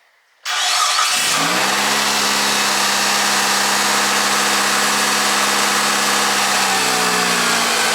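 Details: 2003 Mitsubishi Galant after replacing faulty idle air control valve: engine starts, flares only to about 2,000 rpm, then settles to steady normal idle, versus the previous 2,500 rpm high idle for 10-15 seconds; no codes were thrown.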